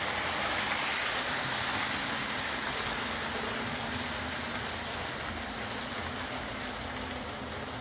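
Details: Old Lima Class 40 model locomotive in BR green, originally dead with front bogie issues, now running on a completely replaced motorised chassis; soft, even whir with light regular wheel clicking over track, no grinding or surging, running smoothly.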